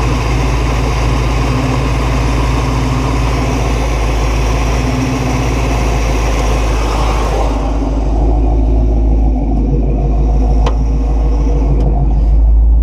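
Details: 1969 Buick Special Deluxe that would not stay running more than a few minutes: low, loping idle near 700 rpm with a rhythmic, slightly uneven burble, otherwise steady.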